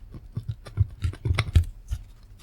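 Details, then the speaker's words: i-Joy Xtreme Sound soundbar bass speaker, previously glue-repaired: uneven dry scratching each time the cone is pushed by hand; something rubbing inside the driver, likely the voice coil, causing horrible sound. "scratchy noise. So that's probably what's making the horrible sound."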